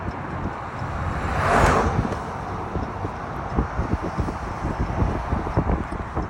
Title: 2015 Chrysler 300s clunking / clicking noise underneath “Help”